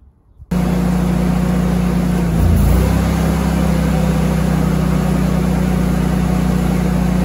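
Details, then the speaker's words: Generator running a house as a Temp Star 2.5-ton heat pump compressor kicks on drawing about 68–69 amps, before a soft starter is fitted: steady drone dips, misses and strains about half a second, flickering lights, then spins back up. "this was kicking on at about 68 or 69 amps which knocked the generator down a little bit enough to make the lights flick and you can hear the you know like it misses and you can hear it spin back up"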